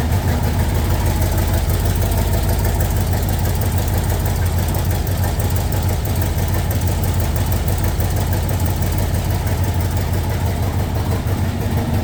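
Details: 1967 Corvette convertible with LS2 V8, first start after wiring and battery install, fuel pressure 50, cold on default map before operating temperature: deep, even V8 burble at steady idle, no knocks or misfires; normal cold idle.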